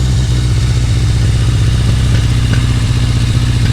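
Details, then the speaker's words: 1981 Yamaha XS1100 Special four-cylinder, about 5,000 miles, cold-blooded, on old gas: cold idle with uneven, stumbling beat and occasional skipped firing; missing a little while idling on its own, cause unconfirmed. "but you can hear it's missing a little bit there it is idling on its own"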